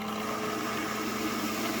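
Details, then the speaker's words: Home HVAC air conditioner condensate pump: steady even small-motor hum at constant pitch with no knocks or rattles, kicking on as the reservoir fills and pushing water up the clear tube outside; normal operation. "Because what should be happening is, as this pump fills up, this should happen. As it gets full, that should kick on, and notice it pushes up the fluid up this clear tube and outside the house"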